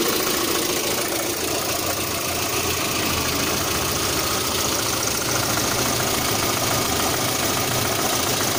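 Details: 1.6 8-valve petrol engine idling with a loose, uneven ticking knock over a busy hiss; the owner reports a knock at idle, sometimes on adding throttle at start-up, with the cause not yet found.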